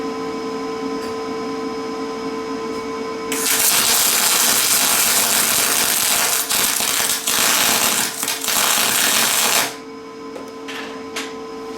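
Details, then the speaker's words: Lincoln 210MP MIG welder, 0.035 wire, 90/10 gas, wire feed lowered to 300 in/min: six seconds of harsh crackling sizzle with little pops, no smooth hiss; still short-circuit transfer, no spray. "190 or 194 that's still short circuiting so I don't think this this machine is going to get us into spray transfer like I want"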